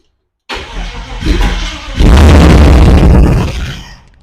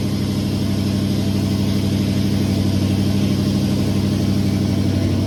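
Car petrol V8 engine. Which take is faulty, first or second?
first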